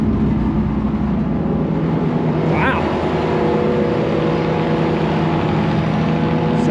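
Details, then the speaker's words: Massey Ferguson 82 combine, just revived, on choke with oil pressure bouncing: steady, even idle with a smooth low drone, no knocks or misses; engine running healthy. "Oh boy. It's alive. It wants a little choke coat."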